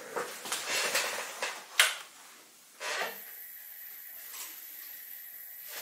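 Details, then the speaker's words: Stepper motor on a cheap TB6600 analog driver replacing a DM556: after handling clatter, a steady high hiss with a thin whine while holding still without movement. "there's this hissing when it's just holding even without any movement it makes a lot of noise"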